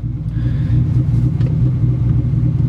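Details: 1996 Ford Mustang after a throw-out bearing sleeve replacement: steady, even idle in neutral with the clutch out and no knocking or shaking, which previously occurred when the pedal was released.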